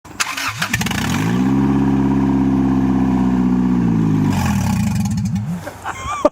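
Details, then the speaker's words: 1997 Acura CL 2.2L F22B1 VTEC, exhaust header off and old cracked gaskets removed: engine catches, runs a few seconds with a harsh, very loud blatting bark straight from the open head ports, then dies. "the first part of our sound test is um you have to piss off all your neighbor for 30 seconds no oh God and just hear what it sounds like without it"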